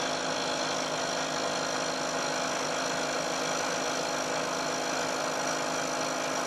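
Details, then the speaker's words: Milling a long thin part, now supported/clamped so plates damp vibration: cut of roughly equal depth to the previous one gives an even, continuous cutting hiss without the ringing squeal of chatter, especially near the end of the part, with a better surface finish. "i'm taking a cut this time of roughly equal depth to the cut i took before you'll hear that there's a very big difference in the noise produced especially as the cutter gets out towards the end of the part and also closer inspection will show that there's a better surface finish as well"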